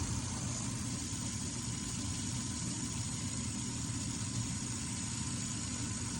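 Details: 23-year-old Carrier gas furnace, after the burner ribbon found pushed about half an inch off the igniter was bent back so gas reaches it: burners light with a low steady rumble and even blower hum, no popping or surging; clean ignition.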